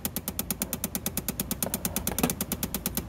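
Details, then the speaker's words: 2011 Chevrolet Impala, behind the lowered glove box: rapid, fairly even clicking about three per second from a failing blend door actuator, confirmed by touch; passenger-side actuator most commonly at fault, fix is replacement. "see a blend motor actuator or whatever and if you put your finger up against it that one that's definitely the one that's clicking"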